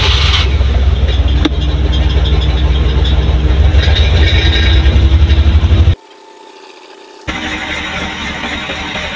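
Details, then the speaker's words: Suzuki Multicab engine misfiring badly despite cleaned carburetor and new fuel pump and fuel filter; starts and idles with lumpy, stumbling, uneven beat, one cylinder not firing, before plug-wire-by-wire test. "So narinig nyo mga boss, napakapalyado po."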